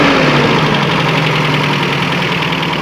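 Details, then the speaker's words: 1992 Toyota Pickup 2.4L 22R-E, crash-damaged, intake boot ripped at throttle body: even, steady four-cylinder idle, smooth hum, no misfire or hunting, no smoke or fluid transfers, slight typical 22R knock; normal idle. "it sounds good. No fluid transfers, no smoke, I mean, there's a little bit of the typical 22 knock that you hear, but I mean, I've never heard one that didn't make that sound."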